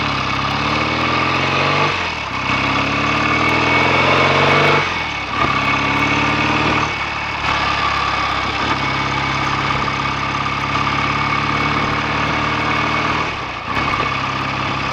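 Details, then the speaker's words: BSA A65 after clutch spring preload was increased to cure slip and the carbs and plugs were drained and cleaned to cure a misfire, following a 6-mile test run: steady twin-cylinder idle with throttle blips, even beat, clean exhaust. This is a normal idle. "Exhaust is nice and clean now, settling down nicely."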